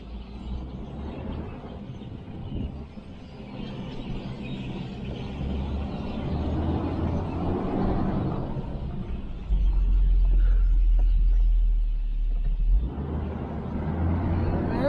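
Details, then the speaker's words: Hummer after frame repair, about 2,000 miles since, driven through a yard on a mild day: steady engine and road rumble with no knocks or clunks; suspension sounds normal and tight. "let you guys hear that there's no clunks no nothing oh man she's doing really really good"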